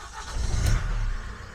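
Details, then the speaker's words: Van diesel engine, still slightly warm, after new oil, filters, solenoid valves and glow plug control module: catches on first crank, glow plug light out straight away, deep even rumble settling to steady idle; clean start. "glow plug light gone straight out started first turn lovely"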